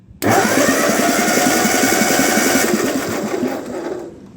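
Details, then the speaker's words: 1948 Ford 8N tractor that cranks but won't fire, stuck intake valves being freed with spray: a fast, uneven chuff at about four a second with no firing; cylinders 1 and 2 are working again and number 3 is just starting to return. "we've got the intake valves in number one and number two working again now we got to work on three and four"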